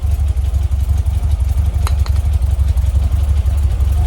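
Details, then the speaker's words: 1967 VW Splitscreen flat-four idling after service: new spark plugs, HT leads and distributor cap, fuel lines tidied; earlier slight backfire is gone. Even, steady low thrum with regular beat, no pops or misses; normal idle. "That's a hell of a lot better. Before I was getting a little bit of a backfire. With the spark plugs, leads, dizzy cap, sorted that out."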